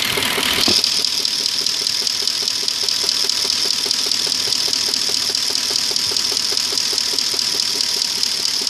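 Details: 2002 Audi A8 quattro 3.7 automatic, hot engine idling in D or R: light, fairly regular tapping about two per second under a loud hiss; knock vanishes when driving, unchanged three years, no fault codes, source undetermined.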